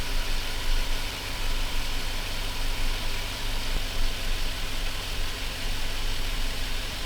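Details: Chevrolet Silverado V8 freshly started and warming up after the mass air flow sensor was reconnected (it previously needed throttle) and the radiator installed: a deep, steady idle rumble with a hiss behind it, no stumble or miss. Normal idle.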